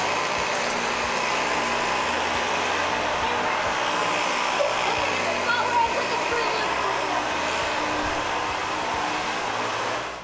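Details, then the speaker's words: Dyson vacuum after repair of a non-spinning brush and no suction: steady, even high-pitched motor rush with strong airflow and no surging or rattles. It is running normally with full suction restored. "all right Laney we have demonstrated that the vacuum now indeed sucks"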